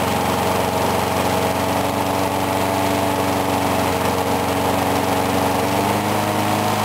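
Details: Briggs & Stratton mower, cold start in 35°F weather after long sitting with water in the gas, started first pull; even, constant buzz with no dips or surges, running normally.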